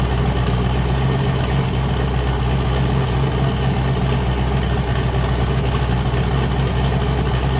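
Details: Boosted car "James Brown", new cam, just started after 23 psi blew a coupler off: loud, deep, choppy idle with an uneven lope that holds steady, firing on all cylinders. Normal lumpy cam idle, engine sounding happy.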